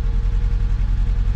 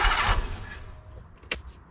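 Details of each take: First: Mk1 Fiat Punto, low mileage, cold start idle heard from the tailpipe after correcting swapped HT leads that caused a misfire: even, regular exhaust puffs with no skipped beats; running smoothly. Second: Low-mileage mk1 Fiat Punto with a recurring misfire: cranks and catches, then a lumpy, stumbling, uneven idle, even worse after reassembly; owner suspects the HT leads are fitted in the wrong order.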